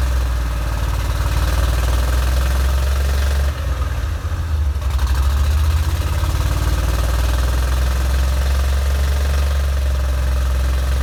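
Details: 1987 Corvette engine after clearing flood (cylinders blown out, plugs reinstalled) runs loud, low, stumbling and dipping before evening out; dies off throttle and reflooods, fuel in oil; owner suspects fuel seeping past piston rings.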